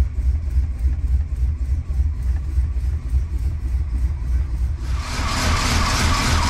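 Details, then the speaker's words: 1977 Chrysler Newport, cold start below freezing after sitting about two months, on a weak battery. Just-started idle is uneven and lumpy with a hiss near the end. Rough idle; the spark control computer, plugs or wires are suspected. "there we go and it's running a little rough let it idle for a little bit"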